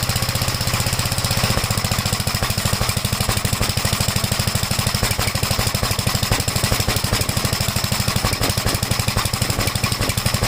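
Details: 1956 Gravely Model L single-cylinder after choke start, throttle lowered: fast uneven thumping with irregular popping and misses; runs rough, smoked at startup, spark plug oily; owner suspects top-end/valve problem, not confirmed.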